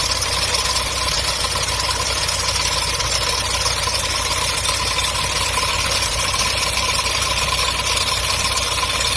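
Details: MGB engine at idle, water pump replaced new in summer 2019: steady idle with constant high, hissing whirr over the exhaust note; strange engine noise, source not pinned down.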